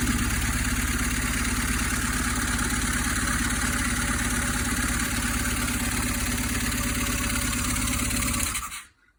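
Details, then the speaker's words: 1995 BMW R1100 GS boxer after head gasket replacement, later start once reassembled: steady, even idle with a regular pulse around three beats a second, no blowing or ticking, then a clean shutoff. Normal idle, sounding much better. "and now it is sounding much better and i even went so far and visa bold is to put the seat back on"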